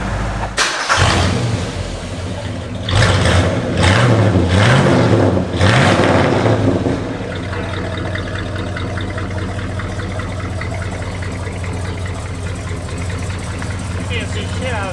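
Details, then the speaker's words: Mid-1970s Ford Ranchero revived after years parked, after ignition timing change: starts, several quick clean free-rev blips rising and falling crisply with no misses, then steady idle; running well. "Well, it sounds peppery on free revs, so I think our timing change has not done bad."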